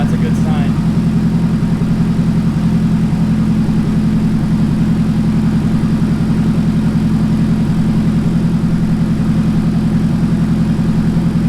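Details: Nissan 180SX engine after accident, run on new fuel pump setup during inspection: low even idle, steady pulse about 3.5 beats a second, no knocks or stumbles; engine confirmed good — normal idle.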